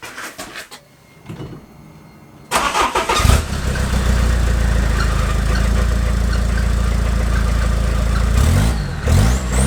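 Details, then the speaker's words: Peugeot 306 Meridian 2.0 HDi diesel with new custom stainless exhaust with extra silencer boxes, microphone at exhaust: few cranking turns, catches, settles into steady even diesel clatter with deep quiet exhaust note; healthy. "so let's listen and see what it sounds like shall we because that is quite important i've put these extra boxes in not just on straight pipe because i want it to sound pretty good"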